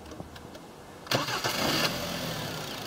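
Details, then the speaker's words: 2011 Hyundai Sonata VI with 2.0 L 16V G4KD engine, 88,722 km, compression 12.5 in all four cylinders: brief starter whirr, then the engine catches cleanly and settles into a smooth, even idle with no knocks or misses. "автомобиль хендай соната 2011 года выпуска двигатель 2 литра буквы на обозначение двигателя g4 к.д. запуск двигателя"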